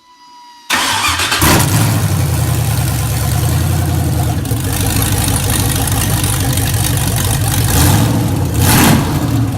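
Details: Drag Camaro on stock wiring harness: engine catches after a brief crank and settles into a loud, deep, uneven loping idle from an aggressive cam.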